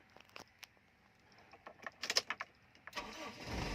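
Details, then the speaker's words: Used Toyota Corolla started for sale inspection: a few clicks, then it catches on the first crank within about a second and settles to a steady idle; clean, normal start, engine described as very good. "เครื่องดีมากครับคันนี้"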